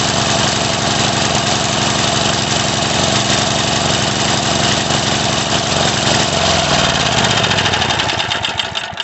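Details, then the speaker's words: Craftsman 3.5 hp edger/trimmer that starts then stops: revved, engine runs high but ragged with uneven hunting beat; rough running from partially blocked carburetor, fixed with carb cleaning. "So what that tells me is there's just a little bit of a blockage in there, so we do got to take it apart and take a look."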